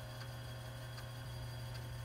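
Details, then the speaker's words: TRS-80 Model II/16 8-inch floppy drive imaging an old but well-stored disk: steady low motor hum with a soft head tick about every three-quarters of a second as it steps track by track; each track reads and verifies correctly so far. "do a read and then an analysis to verify that is correctly read the data on each track so far so good"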